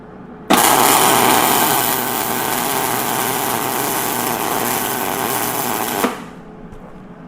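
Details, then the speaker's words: Used early-2000s Hobart Handler 175 230V MIG welder, revived after sitting unused: a steady, even sizzle for about five seconds with no pops or stutters. This is a healthy short-circuit weld with smooth wire feed, though the welder needs new consumables. "Well, I don't know about you, but that sounds like a beautiful sizzle and shortcircuit weld to me. And I think there's not a whole lot wrong with this welder."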